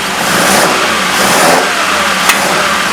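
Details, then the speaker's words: Car engine with an ongoing carburetor issue: rough, uneven revving with irregular stumbles and pops as throttle opens; first cylinder reads much cooler than the others, cause unknown; misfire under acceleration. "it's got a bit of an issue still on this carburetor quickly start up in a second just so you can um you hear it it just doesn't want to it's bit strange it doesn't really want to feel right"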